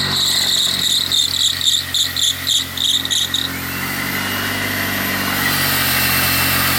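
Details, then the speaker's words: Smart car after engine work, engine out of its mounts, airbox off: a few seconds of chirpy pulsing then a steady even idle hum, no misses or knocks; runs properly, though the gearbox then won't select a gear. "so yeah you can see it fires up perfectly well"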